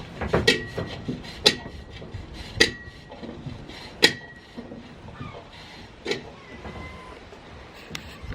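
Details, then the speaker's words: VW Beetle jacked up, raised wheel turned: irregular scraping rubs and light clunks about once a second with a brief squeal, something dragging in the drum; owner suspects dislodged brake shoe or wheel bolts interfering with brakes (no spacers fitted). "I wonder if it's actually something like that. Probably dislodged the brake shoe or something. There's a possibility you can hear it."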